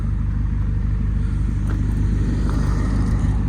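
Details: 2008 Ford Fiesta Mk7 Zetec S 1.6 TDCi diesel, 140,000 miles, with an aftermarket sporty exhaust back box: a deep, even rumble and steady throb at idle through the louder exhaust, with no knocks or rattles, so the idle is healthy.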